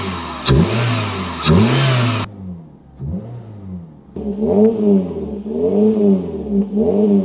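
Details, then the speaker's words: Suzuki Ignis Sport 1.5 with induction kit and aftermarket exhaust, several quick throttle blips, revs rising and falling cleanly with a throaty intake roar; healthy revving, induction noise only. "considering the exhaust and the induction kit it doesn't uh drone too much actually sounds quite good let's give it a little [Music] rev you got to love a bit of induction noise it just makes it sound that much meater than a 1.5"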